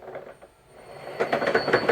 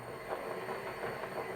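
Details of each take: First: Toyota Prius transaxle motor on OpenInverter FOC firmware with sync offset set to 2000: quiet, then sudden rising clatter and thin high whine as the motor runs away uncontrolled; misconfigured motor control. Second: Toyota Prius transaxle motor driven by OpenInverter on STM32 sine (non-FOC) firmware, at top speed for available battery voltage: steady high electric whine, even running, no knocks or grinding; normal. Uncooled transistors heat up and slow it.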